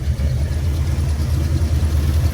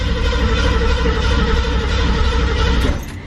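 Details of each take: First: All right, now let's see if it will fire up. All right, moment of truth. Let's give it a little gas. And let's open up the choke. Let's hope for the best. Oh, let's go. It was the coil pack. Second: 1968 Ford Mustang Fastback, carbureted, broke down after heavy use; choke opened and two full throttle pumps: steady low churning as engine turns over for a few seconds but never fires; cranks, no start, air, fuel and spark to be checked.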